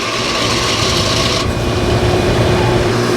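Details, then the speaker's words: AC condenser fan motor after oiling with 3-in-1 oil: quiet at first, then a continuous rough grind over the motor hum returns. A worn motor shaft or imbalance is suspected; the motor was later replaced. "but a few minutes ago it just started making noise again so I just don't know if it's a little out of balance or if this stop motor shaft is worn out yeah there it is right there"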